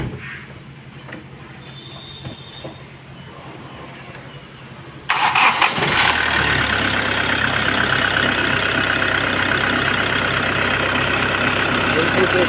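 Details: Hyundai i20 diesel after replacing a faulty belt tensioner and two idler bearings that had been making a noise: it cranks briefly, catches at once and settles into a steady, even diesel idle with no belt squeal or rattle.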